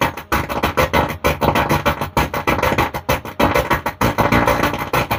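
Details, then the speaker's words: STRANGER PBT 800 amplifier playing line-in music directly; output harsh, gritty and distorted even with volume lowered. Driver board judged faulty, other board seems fine; to be checked and repaired. "আমি সাউন্ডটা কমিয়ে দিয়েছি, একই আওয়াজ। তো বন্ধুরা, এই driver বোর্ডটাকে ঠিক করতে হবে, এটা প্রবলেম আছে।"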